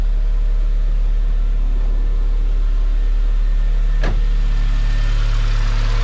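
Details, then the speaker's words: 2009 BMW E87 118i N46 after replacing the Valvetronic motor and eccentric shaft sensor for rough running, stalling and fault 2851, with codes cleared: smooth, even idle with a steady low beat, no misses or hunting; running fine. "okay looks okay so far seems to be running"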